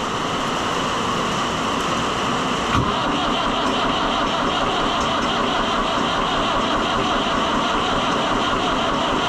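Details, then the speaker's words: Oliver 1365 (Fiat 640) diesel tractor at 12.3 V after fuel filter work, with air in the fuel: the starter churns steadily and long without a single firing stroke. Long cranking, no start. "I'm telling you, once you get air in these, they just do not It's a struggle."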